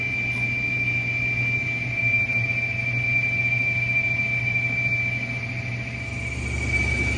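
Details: Whirlpool Cabrio stator-driven washer in test mode with the drain pump running: thin, steady high whistle over low motor hum, no codes, bearing sounds fine; cause was a split shift slider (W10734521), replaced.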